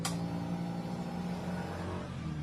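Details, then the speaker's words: Honda Click scooter after its faulty remote receiver was bypassed by joining the pure yellow and yellow-green wires: steady low electric whir for a couple of seconds at key-on, fuel pump priming normally, confirming the jumper works. "Siyempre, pag sinusi natin, good na yung ating fuel pump. Pakinggan natin."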